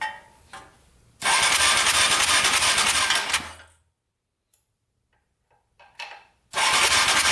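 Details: Yamaha Raptor 700 ATV with a no-spark fault, while testing an engine ground to the frame: starter spins the engine at about three compression beats a second, twice, but it never fires. Cranks with no spark.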